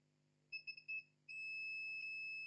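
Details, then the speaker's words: Lenovo IdeaPad 320-15ISK motherboard with no power: multimeter continuity at second MOSFET output gives quick chirps then steady high beep; main 19 V power line shorted to ground. "is biing with ground that mean the main 19 Vol power line is to ground okay"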